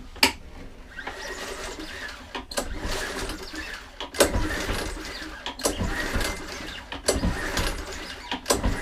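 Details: Mountfield 164 lawn mower engine seized after two-stroke fuel was put in, now freed; repeated recoil pulls about every 1.5 seconds give a free whirring turnover with no binding. It turns over freely.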